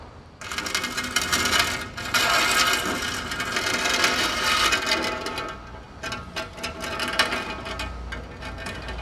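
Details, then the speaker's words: Wheel hub noise on a 1999 Toyota Hilux SR5 2.8 4x4: irregular light metallic clinking and scraping as the wheel turns, engine silent; suspected dirt or something broken inside the hub, needs disassembly to confirm. "e o barulho desse lado Nossa olha o barulho da roda"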